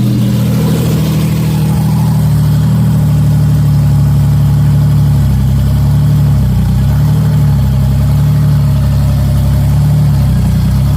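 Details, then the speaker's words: 1994 Cavalier 5-speed, built 3400 V6 with Wottech strip cam and open exhaust dumping down, oil pressure checked by transducer: loud deep even idle with lumpy cam lope and light blips, no knocks; healthy. "This is awesome, guys. It runs. Sounds amazing. It's just really loud."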